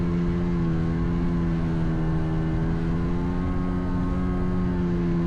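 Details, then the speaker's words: Vintage Seadoo HX jetski, 720 Rotax two-stroke, on the water after missing driveshaft dampener installed: strong, steady drone holding even pitch under load, no knocks or rattles; ran great with great power. "Overall, the ski ran great, had great power, and I feel I handled it great for my first time."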